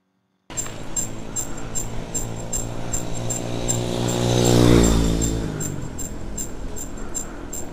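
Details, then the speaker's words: Exotic ET2613 mountain bike, bought about one week ago. Light scraping squeak from the front wheel about four times a second as it turns. The workshop says the front disc brake rotor is slightly bent and not true, brushing the pads. "suara tikus itu terdapat di roda depan ya di roda depan tepatnya di bagian rem cakramnya itu itu diperingannya itu dia tidak Hai senter sehingga bunyi seperti itu"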